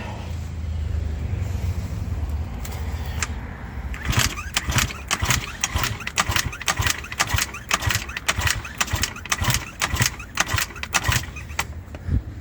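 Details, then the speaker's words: Eaton Beamer Matrix 2 scooter two-stroke, 60 psi compression, after spraying into it, choke off, full throttle: repeated kick starts give weak uneven pops but never catches; low compression suspected; hard starting. "okay all right ladies and gentlemen you can tell that is starting it's trying to start and it will work it will work eventually this is getting tired now"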